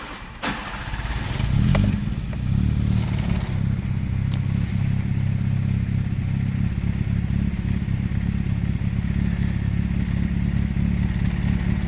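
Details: Nissan Primera P10 1.6 (about 1991) cold start after engine gasket work: catches and holds a steady, slightly lumpy low rumble only with constant throttle or it stalls, light blue smoke; damaged carburettor valve gives a poor cold mixture, fine when warm.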